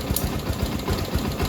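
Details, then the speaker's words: Rouser 220 single-cylinder motorcycle after fixing reversed wiring and insufficient grounding that caused the no-start; steady, even low thumping at fast idle on choke, no skips or stumbles, running cleanly. "oh ' ba kung nakikita niyo gumana na siya So ibig sabihin kinakapos lang sa groundings to isa pa Ayos na na babala naman"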